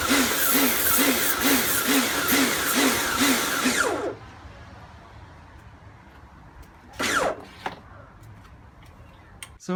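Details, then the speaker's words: Repaired Karcher pressure washer, rebuilt from a B202 and a K2 14 after frost damage and motor failure: loud motor-and-pump roar surging in a steady pulse a bit over twice a second, then shutting off; it cleans fine but the cause of the pulsing is unclear. "i'm not entirely sure what uh that pulsing noise is from i don't i have a bosch one that i use i've made a mess over here i have a bosch one that i use and it uh it doesn't make that pulsing noise that doesn't mean it's broken but it doesn't sound right either"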